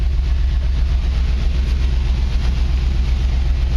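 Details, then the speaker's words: 1949 Chevy truck: a steady, even low rumble at idle with no knocks, misses or ticks. The engine runs really well. "you can here this thing runs really well"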